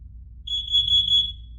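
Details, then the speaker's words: Carbon monoxide alarm pressed to test: one loud, shrill beep under a second in a quiet room, working properly; four chirps every 5 seconds signal an emergency, one every 60 seconds a low battery. "um in the event of an emergency uh to emergency you're going to hear four chirps every 5 Seconds um in the event that the battery needs to get replaced you're only going to hear one chirp every 60 seconds"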